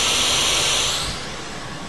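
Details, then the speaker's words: Behringer audio mixer bought August 2013, noise began April 2014: loud bright hiss from speakers with all channels muted and effects down, stops when master volume is lowered and returns when raised; only output connected to speakers; owner suspects board failure. "when I turn the master volume all the way down the hissing stops when I turn it back up the hissing starts again"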